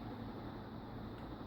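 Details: 56" NuTone Proline industrial ceiling fan, believed second generation, with good bearings, running on high: soft, even rushing hum with no ticks, wobble or scraping. Healthy and powerful.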